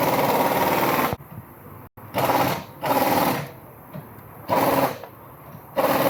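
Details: Lexus LS460 petrol V8 running rough and uneven, with surging bursts of fast metallic clatter: a misfire caused by a broken GDI direct injector.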